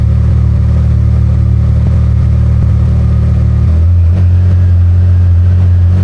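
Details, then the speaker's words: Can-Am Maverick R with Evolution Powersports flex-fuel system, cold start on tested 85% E85 (meter read up to 82%): fires and holds strong, even low drone stepping up smoothly, no stumbles or misfires; normal healthy running. "So, what I'm going to do is I'm going to do a cold start for you on E85. It's always cool cuz it works out great."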